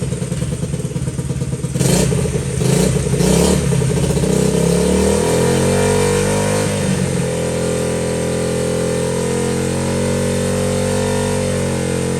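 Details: Honda XL70 K0 single-cylinder just started on a chilly mid-40s°F day: a few quick throttle blips, then a steady, even idle settling as it warms; sounds healthy.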